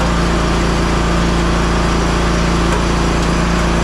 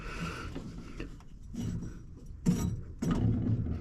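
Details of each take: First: Hustler Raptor SD 60-inch mower, model 934612, after deck belt replacement: steady, even engine note with no surging or knocking, deck engaged; running normally. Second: Hustler Raptor mower, about 200 hours, deck belt removed: hand-spun deck idler pulley gives a dry gritty rumble in uneven bursts, a worn bearing to be replaced; deck bearings also sound rough.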